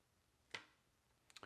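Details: Woods 60-minute fan timer switch, repaired by replacing a burnt load resistor and failed 100µF 50V capacitor: one crisp click then three light ticks; the relay is pulling in cleanly and the timer is switching normally.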